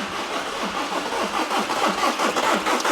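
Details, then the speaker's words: VW Caddy diesel, 490,000 miles, unused for months, glow plug and DPF lights on: steady cranking about five beats a second without catching, only occasional coughs showing fuel pressure. Crank no start, later traced to a blocked diesel particulate filter. "you ever had it trying to actually occasionally coughs yeah but not all the time I mean it's more enthusiastic than before"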